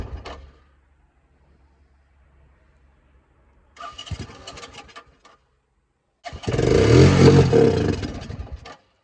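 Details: 1984 Honda 200M barn find, after many parts were replaced and a new fuel line and filter fitted. A few cranking tries, then the single-cylinder engine catches and runs with an even, steady beat; it sounds healthy.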